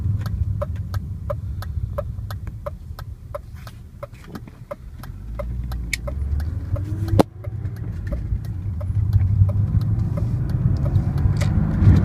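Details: BMW E36 M3 engine at idle: sharp, even ticks about four a second over a low rumble, heard as a muffled noise; something in the engine is clicking, cause not identified.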